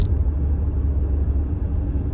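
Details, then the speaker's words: Mercedes C55 with a manual swap, warming up after a solid bushing was fitted and the shift mechanism welded: a heavy steady low drone through the cabin. Shifts feel tight, but drivetrain vibration now transmits through the car. "the shifts feel great as far as hand feel but the rest of the car you can tell there's a lot of vibration going on and i didn't i didn't expect it to"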